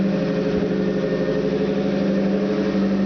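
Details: Opel 2.4 with Motronic fuel injection and a 60mm Nissan throttle body, about a minute after a cold start, just after fixing intake manifold vacuum leaks caused by chrome ridges. Fast idle around 1200 rpm, a steady hum with a faint high-pitched whistle still heard.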